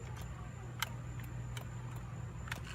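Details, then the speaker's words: 2006 Honda Pilot door with the panel off and the window motor plugged back in: several sharp dry clicks with no motor run over a low hum; the window does not go down. Owner suspects a faulty window motor and plans to replace it. "Now we're going to see if the window goes down. You can hear a click, but it's not."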